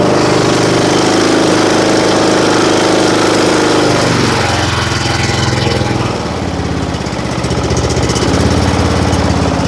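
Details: John Deere riding mower with Briggs & Stratton engine, started on choke after a freezing night, following the valve adjustment that fixed its no-start; the single-cylinder runs strong and even at about three beats a second, then settles smoothly, healthy.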